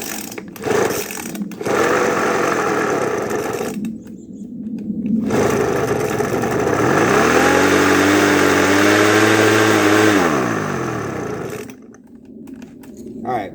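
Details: Craftsman two-stroke leaf blower just after a carburetor rebuild, primed, on choke: buzzes unevenly, pitch sagging and surging with cuts in between; rough running after carburetor rebuild, carburetor still needs adjusting.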